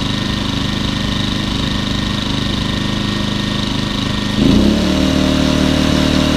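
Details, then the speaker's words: Champion 2000 W 73536i generator with about 16–24 hours of use, after cleaning the carburetor idle jet and ports and adding a fuel filter to cure idle surging. Steady, even idle with no hunting; the small step up comes from switching the economy switch. Runs normally. "that's what it's supposed to sound like"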